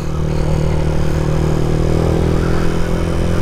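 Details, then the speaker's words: Sniper 150 in second gear after valve clearance set to 0.08 intake, 0.10 exhaust: steady engine drone under way with no clear valve ticking; quiet valve train with proper clearance. "Second gear. At wala tayong masyadong na didinig na pitik."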